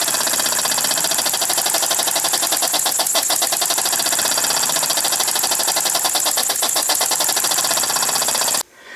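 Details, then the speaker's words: Model steam engine on compressed air at 15–18 psi with a small brass flyball governor, finger load applied: rapid, even air-driven chuffs, beat holding steady as load comes on; governor regulating properly at the higher pressure. "with the air pressure cranked up to 15 to 18 pounds it just made all the difference into the world in the world on how that Governor is reacting to the load of my fingers ag"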